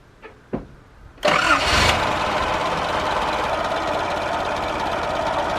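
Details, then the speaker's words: 1989 Nissan 4x4 pickup, eight-plug four-cylinder, off the road seven to eight years, idle very low while ignition timing is adjusted by turning the distributor. Clicks, then it catches quickly and holds a steady, even idle without misses; normal idle. "it's pretty good this thing idles it literally zero it says on the dash"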